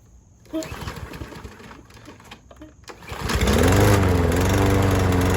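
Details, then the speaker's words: Troy-Bilt TB110 push mower (not self-propelled), Briggs & Stratton 550 E engine, first run on a new replacement carburetor: it catches after a few pulls and runs rough with a wavering, hunting pitch. It runs worse than on the original carb; owner suspects the new carb is defective. "So, the lawn mower actually ran worse with the new carburetor than the original one. The new one must have been defective somehow."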